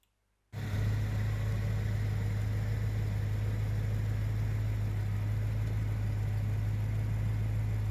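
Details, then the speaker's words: Own BMW M3 bought broken from Germany, oil change due: steady, deep, even hum with smooth unchanging beat, no ticks or misses; normal idle. "As you can hear, it runs very well, and as you'll have heard in other videos, it runs really well."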